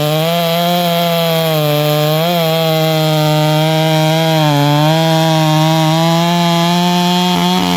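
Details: Bradley G395xp clone chainsaw, 56mm with 20-inch bar and .404 full-chisel chain; crisp, even high-pitched buzz holding steady revs with brief dips under cutting load; clean-running, healthy two-stroke.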